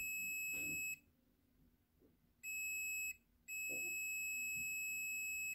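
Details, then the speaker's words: Honda Click scooter that starts, misfires and dies after minutes: a multimeter beeps steadily three times on an old spark plug, so this plug conducts fine, while the plug taken from the scooter was faulty. "So ibig sabihin okay yung spark plug na 'to."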